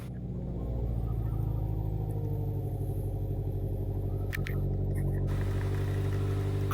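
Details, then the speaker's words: Toyota Corolla with 146 on the clock, idle slightly high: rapid puffing tick over low rumble from an exhaust leak; system-too-lean bank 1 code also present. "all right guys let's see what we get here I definitely hear the exhaust"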